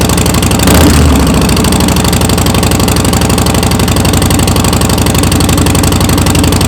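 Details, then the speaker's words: Harley-Davidson Softail Slim with new Vance & Hines BigShots staggered exhaust, standard baffles, FP3, S&S Stealth air cleaner: loud, deep, lumpy idle with even beat about four per second. Normal idle. "Wow, these things sound great. I mean, they're loud, don't get me wrong, but it's a nice, throaty, deep sound."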